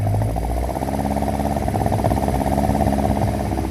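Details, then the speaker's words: 1952 Singer 4AD Roadster with B18 engine, first start on possibly old fuel: steady four-cylinder idle with even, unhurried beat, no knocks or misses; running on all four, 40 psi oil pressure. "Go ahead and give it a crank. Running all four."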